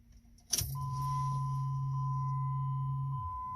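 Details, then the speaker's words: 2006 Jeep Liberty, crank no start, fuel pump recently replaced, mic toward the rear; key-on gives a low steady hum about 2.5 s over a chime: pump runs, though a broken pickup snout or fuel line may stop delivery. "okay so that sounds like the pump is pumping don't mean that it's working though"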